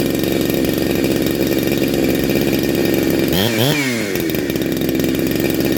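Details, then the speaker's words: Neo-tec NH872 chainsaw (372XP clone), freshly built big bore, cold start: smooth two-stroke burble, a quick clean rev and return to steady idle; normal idle and revving. "all sound awesome absolutely awesome"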